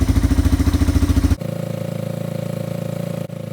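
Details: Yamaha ATV single-cylinder engine idling after carburetor cleaning and about four float adjustments, clearing leftover WD-40: steady putter, then a lighter even beat after a brief dip. Smooth, regular idle with no misses.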